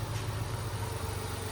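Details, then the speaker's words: Kei car small turbo petrol engine idling after spark plug replacement: steady, even low hum with no misses or knocks, much quieter than before; normal idle. "anyway it sounds it's pretty good I mean I wasn't expecting it to sound that much better"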